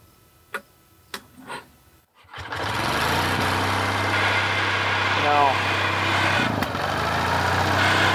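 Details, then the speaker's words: Roughly 78-year-old two-cylinder water-cooled Onan generator, first run after revival: after sharp knocks it settles into a busy, slightly uneven run with a light rattle, oil pressure about 15; suspected debris in the fan that clears itself. "that's something in the generator isn't it I don't know sounds like there's some dirt or something in it no leaks"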